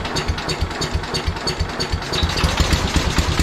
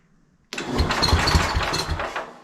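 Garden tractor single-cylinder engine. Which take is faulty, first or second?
second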